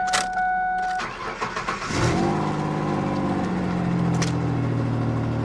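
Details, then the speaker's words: Mazda B3000 (Ford Ranger based) auction truck with no water pump, run only briefly: a short starter whir, then it catches cleanly and settles into an even, steady idle; it runs fine. "it doesn't run bad it does not run bad at all I'm again surprised this is basically a Ford Ranger"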